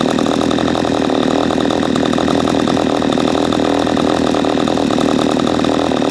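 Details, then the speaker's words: P1PE P6220C chainsaw with high-speed mixture screw unscrewed well out: dull blubbery note never reaching a crisp scream, gutless and slow to rev; high-speed mixture too rich, fixed by screwing back in. "okay as you saw when it becomes gutless I unscrewed it quite a bit it becomes very slow to go when you're on the high-speed"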